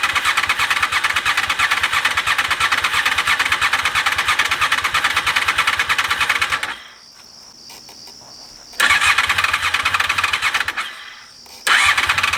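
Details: 2001 Honda VFR Interceptor (Gen 5), first start attempt in eight years after barn storage; fresh fuel, fuel pump primes, weak battery so on jump box; steady cranking about three turns a second, retrying, never fires.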